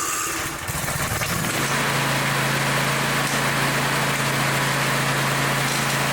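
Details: Engine with a broken-off spark plug: a harsh metallic knock about four times a second over a steady drone. A spark plug fragment is stuck in the cylinder and won't pass, so the engine will be torn down.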